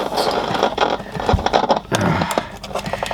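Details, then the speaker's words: Audiosonic cassette boombox radio: irregular crackles and scratchy dropouts break up the sound as the band switch moves; a rusty, dirty AM/FM switch. "oh that's probably what scratchy is the oh yes a rusty old AM FM switch"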